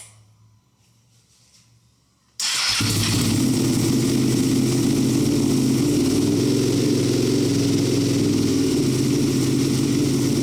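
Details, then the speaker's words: Rebuilt, previously wrecked Ducati V2 Bayliss firing for the first time in three or four months on a weak battery, with smoke from the rear header, likely cleaning products. After two quiet seconds the V-twin fires and settles into a steady, even, lumpy idle with no knocks or misses. "She runs, finally, after 3 or 4 months. But there is smoke coming off the side. How awesome is that? That sounds wicked."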